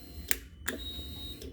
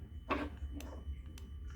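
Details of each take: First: 2013 Yamaha R6 no-crank diagnosis: two sharp clicks at key-on then a brief thin whine as the fuel pump primes normally. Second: 2013 Yamaha R6 that shut off while riding downhill and arrived with a dead battery; ignition on, fuel pump primes, starter button pressed. Faint repeated sharp clicks about twice a second and no cranking: the solenoid engages but the engine is seized.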